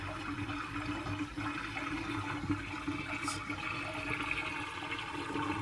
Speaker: You see how it pulled all the water out of the P-trap. And what that's going to do is it's going to allow sewer gases in.